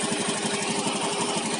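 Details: Scooter idling after repair: even, steady beat with no knocking. A clunk noise, first suspected to be worn rollers, came from a loose, damaged spark plug cap, which was reconnected.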